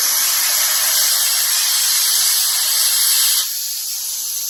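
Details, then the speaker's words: Air tank holding about 65 psi dumped quickly past a regulator; loud steady hiss dropping slightly as pressure falls, moisture but no water coming out, a normal drain blowdown. "if I want to dump uh looks like 65 is pounds of air out of a tank real quick like CU it's going to be in the a hle so I got to dump that"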